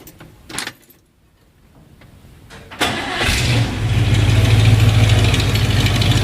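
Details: 1959 Corvette, self-rebuilt carbureted 283 V8 with points ignition, not recently run, two pumps of throttle; catches after about 1.5 revolutions, settles into deep steady idle. Normal cold start.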